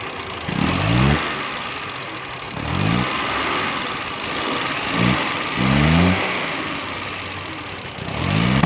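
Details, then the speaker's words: Suzuki Mehran 796 cc petrol car repeatedly revved: each rev breaks up with loud pops instead of climbing, and it won't take revs. Backfire traced to a weak ignition coil supplying low current. "दोस्तों, ये गैस पर गाड़ी बैक लगा रही है।"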